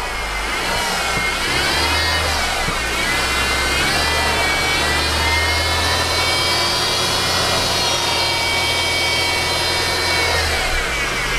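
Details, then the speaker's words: 2013 Mercedes C250 engine running, hood open, revved: high-pitched dental-drill-like whine rising with revs, mistakable for the power steering pump or timing chain components but caused by a bad belt idler pulley bearing. "Okay, and you can hear that whining. It's kind of like a dental machine."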